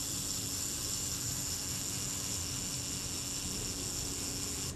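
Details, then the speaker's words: Rebuilt camera shutter's self-timer (delay action), graphite-lubricated and just reinstalled: a fine, even high-pitched buzz runs about five seconds and stops cleanly; normal, smooth self-timer run. "That's fine. That's running down nice and smoothly now."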